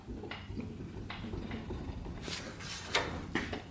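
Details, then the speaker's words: Yamaha Wolverine 350 4x4 ATV bought cheap, wheel rocked by hand: a few dull, irregular clunks from the slop; owner suspects both wheel bearings are worn out. "i think both wheels both wheel bearings are junk that was pretty bad"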